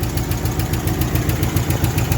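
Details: 1966 Ford Galaxie 500 LTD with a tired, high-mileage, oil-burning 360, running 15W-40, oil pressure dropping to near zero when warm: sharp, even ticking about six per second over a lumpy V8 idle; top-end tick, cause unconfirmed.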